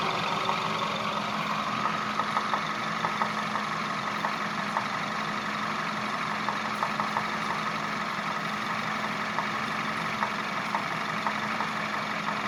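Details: Peugeot 508 1.6 THP at idle: steady idle with a faint, fairly regular light tick about three per second; engine knock of unknown origin.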